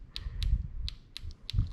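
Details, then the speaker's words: LS3 fuel injector from 1959 Apache twin-turbo LS3 project, bench-checked after seeming slightly seized and given a jump start: sharp, even ticks about three a second, each crisp and alike; now clicking normally. "nice and consistent now must have just been slightly seized"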